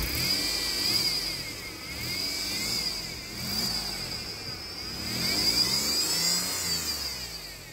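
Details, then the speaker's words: 2010 Mercedes-Benz C300 4Matic 3.0L V6 running: shrill steady whine from the serpentine belt with a second tone rising and falling with revs; idler pulley melted and alternator tested bad. "when you hear this whining noise then you should check the car immediately or have it checked because otherwise you might end up with the melted pulleys and you also might end up with a bad alternator"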